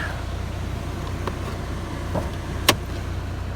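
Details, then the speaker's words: Saab 9-3 SportCombi 2.0T, former parts/delivery car, just started with the air running, smooth steady low hum with an even beat and a few stray clicks; healthy idle, temperature gauge mid-scale. "Starts up, air fires up. Runs good."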